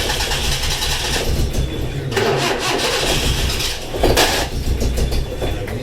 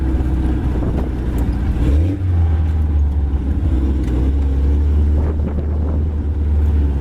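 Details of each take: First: 1980s Suzuki SJ (Jimny) off-roader four-cylinder started: catches, then uneven lumpy run with stumbling beat; not running on all four, cause unknown, owner had played with the leads. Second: 1980s Suzuki SJ (Jimny) off-roader with solid front and rear axles, driving: strong, low, even engine drone pulling steadily with no stumble. Idle is not good, but it is firing on all four cylinders.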